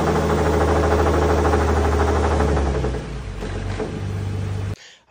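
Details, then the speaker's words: 2017 Ford F150 Raptor, second-gen 3.5L EcoBoost, 84,000 miles: deep, rough lower-end growl with steady low pulsing, growling on acceleration. It knocked, used oil and had metal in the oil; a failed rod or main bearing is suspected. "this engine Came in Like I said it was knocking and growling he had oil consumption issues stuff like that"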